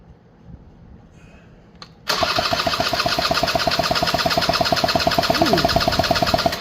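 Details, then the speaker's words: Honda EZ90 Cub cranking on the starter during a compression test, with the tester screwed in tight and the carb off. Three even, equally strong puffs a second, reading about 122–123, so compression is healthy. "It's about 122, 123. Sweet. So make sure you screw in your compression tester. You clearly get a more accurate reading."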